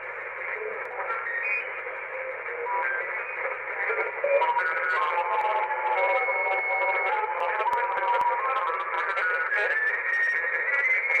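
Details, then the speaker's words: uBitx transceiver with Nextion screen and CEC firmware, on 80 meters dipping below the band: constant hiss with broadcast music and voice bleeding through; slammed by surrounding AM stations, attenuator does nothing. "o is, it is being slammed by all this AM radio that's all around it."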